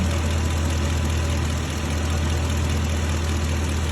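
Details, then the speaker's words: 2006 Ford F-350 with used 5.4L 3V V8 just installed, true first start: smooth, even low rumble with steady beat, no smoke, no tick from exhaust or knocks; normal idle. "That was the true first start. No smoke. Sounds good."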